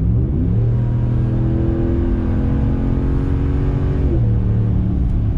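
Deep, smooth V8 rumble climbing evenly in pitch as the truck pulls, no knocks or misfires; sounds like a healthy engine.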